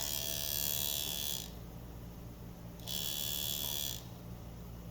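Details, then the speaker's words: Hair clipper buzzes high and steady then cuts out twice; the power cord broke internally where the monkey cord protector was not installed up over the insulation, causing intermittent power. "This cord is bad. And this cord went bad prematurely because of this monkey cord right here."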